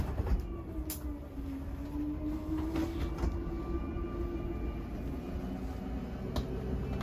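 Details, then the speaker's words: 2022 Jayco Bungalow 40RLTS bedroom slide-out extending, transit bar removed: steady motor drone with wavering mid tone and low rumble as the slide runs out; gear grinding at full extension is normal. "Once again, once you hear the gear grinding noise, you know you're fully extended."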